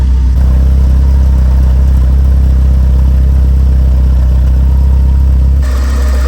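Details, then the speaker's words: Classic car, cold, in neutral, after installing a plug-and-play replacement mass air flow sensor for the original flap-type sensor: loud, steady low drone holding an even idle without hunting or stumbling; normal cold idle. "As you can hear, the car idles nicely."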